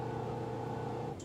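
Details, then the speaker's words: Magic Chef 1.7 portable washer after five years of use: steady mid-pitched electrical hum as the motor is energised during the spin stage, then cuts off abruptly; the drum never turns, motor won't spin. "This is the part that I was waiting for. It's not moving. You see how it's making that noise? This is supposed to spin. And it's like the motor."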